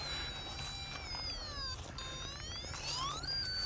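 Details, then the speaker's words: PetSafe invisible pet fence loop, controller beeping for a wire cut: probe near the golf-club marker picks up clear high warbling tones sliding up and down over faint hiss, so the buried wire carries signal here. "so we can start there and we should have signal and we do you can see hear that"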